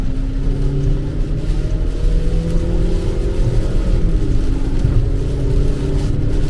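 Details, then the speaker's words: 2011-2014 Optima/Sonata with a replacement junkyard engine, road test in rain at about three-quarter throttle from 25 mph: pulls strongly, pitch rising smoothly, no drama; a couple of misfires, suspected from power-washing the coils. "runs way better that was like three-quarter throttle we spun it 25 mile per hour when it yeah i'd say this one's a lot better there's really no drama"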